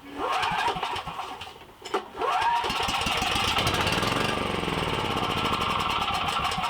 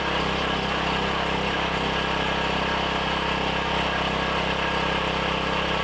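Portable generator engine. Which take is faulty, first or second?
first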